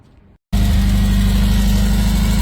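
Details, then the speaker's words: Donor 850 engine, freshly installed, first start before warm-up and timing setting: catches after brief silence, settles into steady idle with light tapping on top; a slightly tappy valve. "We've got a slightly tappy valve by the sounds of it. Apart from that, sounds alright."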